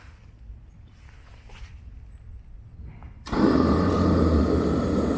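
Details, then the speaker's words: Teleflex MBU V3 military burner on diesel, fired up again after boiling 2 gallons of water in under 10 minutes on under one amp hour: quiet, then ignition into a sudden steady, even roar; normal burner operation. "It took just under 10 minutes to get 2 gallons of water to a rolling boil, and we used about just under an amp hour of energy out of the battery pack. And overall, I think it worked pretty well."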